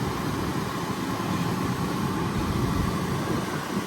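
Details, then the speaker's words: 2014 Camaro SS 6.2 L V8 after blend door replacement, blower on max cool blowing cool air: steady even air rush without rattle, tick or squeal; repair fixed the problem. "We got it on max cool, and let's turn it on. Y'all, we have cool air."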